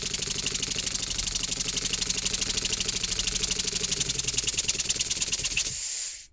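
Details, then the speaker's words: Scratch-built Wig Wag oscillating steam engine on compressed air, earlier recording: fast uneven hissing puffs with rattle, about three a second, then stalls; cylinder binding, apparently due to slightly skewed pivot, wear marks on one corner. "So, that's where it's running the most uh because it looks like the pivot point is a little bit skewed, so it's running primarily on this corner here and there."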